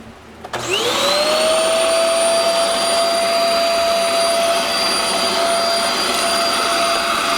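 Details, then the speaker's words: Shark Euro Pro vacuum cleaner with no suction, after cleaning out the canister: motor spins up to a steady, high, strained whine; still little vacuum, from a clogged hose further along. "still does not appear to have a lot of vacuum"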